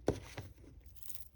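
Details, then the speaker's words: Samsung Galaxy Z Flip 3, eight months old: two faint, crisp crackles as the phone unfolds; the pre-installed screen protector, delaminating since about six months, is lifting along the fold crease. "you can hear the delamination right here so all these phones come with a screen protector already pre-installed"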